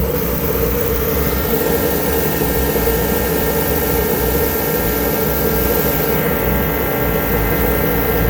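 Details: Auction-bought kerosene heater after repair with new filters, fuel pressure turned up slightly: a constant, even roar from fan and flame with no pulsing, sputter or rattle. Normal steady burn.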